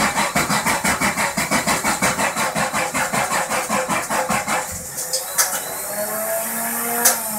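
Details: 1977 Datsun 280Z: even starter cranking near three turns a second for about five seconds, never fires; cranks but won't start.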